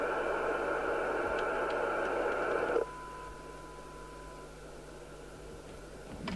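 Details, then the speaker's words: Midland 77-095 CB27/81 UK FM CB radio before repair: loud steady hiss from the speaker over a weak signal generator signal, dropping when squelch closes; very deaf, noisy receive, suspected aerial disconnected inside or detector out. "very deaf receive it sounds to me like the Aerials disconnected inside so right now talking about actually not as definitely it's just noisy sounds like the detectors out"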